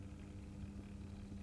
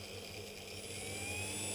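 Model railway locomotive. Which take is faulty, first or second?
second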